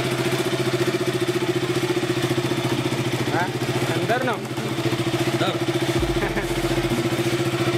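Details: KTM RC/Duke 200/390 single-cylinder after fixing clicking no-start by sanding rusty, corroded starter relay contacts: even, steady idle with regular thump, no clicking or misses; normal idle.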